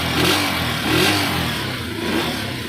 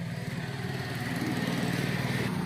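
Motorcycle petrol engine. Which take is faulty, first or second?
second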